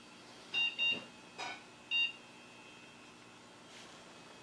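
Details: Gateway G6 350 Pentium II era PC, likely dead CMOS battery: a few short high beeps at power-on, then silence; machine flags wrong settings at startup.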